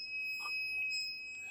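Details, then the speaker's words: Rotax 185 ignition timing, set with a dial indicator through the cylinder top and a buzz box, lid off for loudness: shrill steady buzz shifts in tone for an instant, marking the exact moment the points open and the plug fires. "then we'll be able to hear the change in tone. Okay, that's what I'm listening for when I'm doing this. That tells me the absolute instant that the point's open and the spark plug will fire."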